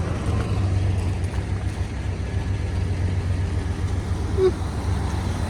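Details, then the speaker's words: 1981 Chevy C10 V8 after a tune-up (plugs, wires, cap, rotor) and reconnecting a forgotten plug wire: steady low rumble with an even, unbroken beat, no misses; engine much smoother, though the tailpipe still shakes. "the tailpipe still shaking but the engine is so much smoother"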